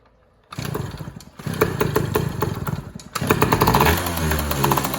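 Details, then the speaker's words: Yamaha PW80 two-stroke, carburetor swapped four times, air screw stripped: catches and runs ragged with revs hunting up and down, never settling to idle. Owner suspects an air leak; unconfirmed. "works it doesn't run good at all but it kind of designer [Music] so I don't know why it's doing that might be an air leak or something but I'm gonna try to figure it out"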